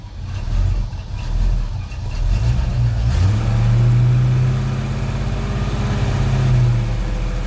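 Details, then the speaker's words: 1989 Chevrolet S10 V8 pickup with 2.5-inch exhaust through two mufflers: smooth, quiet burble, one brief rev, then even idle around 600 rpm; running a little rich, possibly from bad fuel after sitting. "She's pretty quiet. It's actually 2.5-inch exhaust run all the way out the back through 2 mufflers. She's running a little bit fat."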